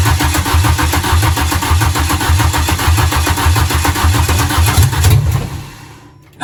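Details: Renault Clio 172 with freshly installed engine, no cooling system, cranking after fuel pump hooked up and fuel added (earlier cranked without starting for lack of fuel): rhythmic cranking chug for about five seconds, then dies away.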